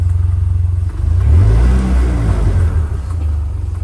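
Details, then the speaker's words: Vanderhall engine, hot and overheating, drones and sags unevenly when given gas, not firing correctly; occurs only when it overheats, gauges dead, clicking heard underneath toward the top right near the hood. "so something's not firing correctly and this only happens when it overheats"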